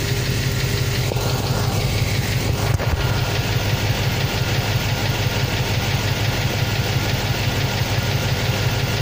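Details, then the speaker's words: 350 TBI V8, cold idle: fast light tick over the low rumble, about three a second, heard only at cold idle and on throttle release; suspected collapsed valve lifters, owner trying Dexron II ATF in the engine; not confirmed. "Значит, вот такой неприятный противный звук. Значит, только на холостых, на холодную. И при сбросе газа."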